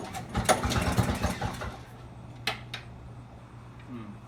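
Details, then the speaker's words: Two-stroke snowblower found with its fuel line and primer cut, run on starting fluid: uneven pops for under two seconds, then it dies; the carburetor is flooding, so it is getting fuel, and it is probably too rich. "Okay, it looked like the carburetor was flooding. It's definitely getting fuel. I got some of it out, and I'm going to try again."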